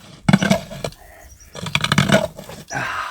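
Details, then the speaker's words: Hand-dug water well with a 6-inch Seymour auger: uneven gritty scraping and metallic clinks as the auger turns, grinding on rock right away; plan to break it up with a spud or tamping bar. "So I'm running into rock right away. I'm going to get a spud bar or a tamping bar and see if I can't break it up a little bit."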